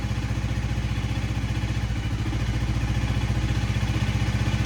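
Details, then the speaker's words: Honda Rebel 300 first start after fuel pump repair, with a badly rusted tank: low, lumpy idle pulsing about four times a second with uneven hunting; rough idle, owner suspects bad gas. "Oh my God. She lives. Yeah, I don't think she likes that gas, but that's okay."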